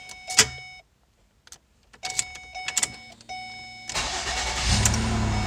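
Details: 2009 Ford Escape 3.0 V6 with an intermittent no-start, retested after ignition switch work: a few chimes, then a short crank and an immediate catch to an even idle. A clean, healthy start.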